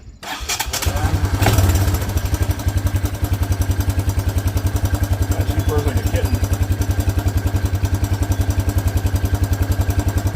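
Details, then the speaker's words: Old Honda Big Red four-wheeler, possibly 1984, first start after fitting a fuel line: starts and settles into a steady, even single-cylinder thump about three or four beats a second; idles smoothly. "I mean, he told me this thing has always ran really good. I just didn't really believe him."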